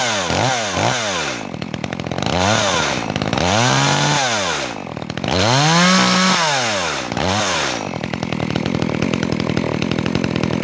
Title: Drujba Makita EA3200S, rodaj si prima pornire